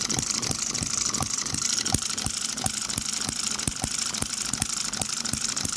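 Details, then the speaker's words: Microcosm M96 "Oddball" 2cc hit-and-miss model engine with electronic ignition, right after adjusting ignition timing: crisp regular firing snaps about three per second with quiet coasting between, longer miss cycle; running happily. "Right away, that's got a longer mist cycle. That is a happier engine firing there."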